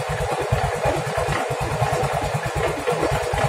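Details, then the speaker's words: Yamaha Mio M3 125 scooter at idle: heavy irregular clatter knocking mid-engine in time with firing, mechanic suspects worn con-rod and its bearing; connecting rod big-end bearing knock. "ini suaranya di bagian tengah ya kalau ini versi saya suaranya di bagian tengah laher sama stang"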